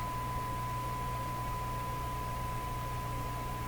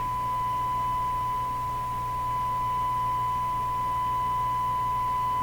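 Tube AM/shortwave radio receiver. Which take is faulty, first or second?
first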